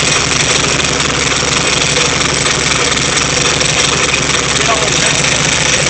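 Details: VW Type 3 1600 cc single-port engine, first start after rebuild: air-cooled flat-four settles into a steady, even idle under a lot of hiss, no knocks; normal idle.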